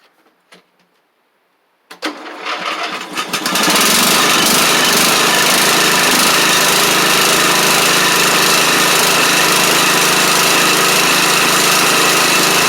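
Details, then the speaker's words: Troy-Bilt Pony riding mower with replacement used engine and new head gasket, cold start next morning: cranks, catches within seconds and settles into a steady, even run, no knocks or surging; smokes for about the first minute on startup, then clears. "Now, it's just doing it when you initially crank it up. And as y'all saw, it smoked pretty bad for about the first mi"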